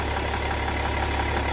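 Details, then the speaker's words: BMW E60 M57 3.0 diesel, left side of engine: steady idle with faint airy puffing over the clatter, like false air escaping, some smoke seen there, with power loss; exhaust manifold damaged/leaking, replaced. "a false air running out and also when I'm actually reading sometimes there is a bit of smoke coming out from here so definitely there is some leakage"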